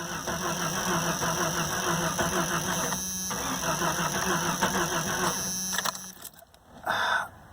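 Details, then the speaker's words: 1992 Jeep Cherokee XJ 4.0 straight six, after new cap, rotor and plugs, fuel pump priming: starter cranks evenly but never fires; crank no start, crankshaft position sensor suspected, later replaced. "I'm going to say that is a crankshaft position sensor. This is a crankshaft position sensor. They are known to fail."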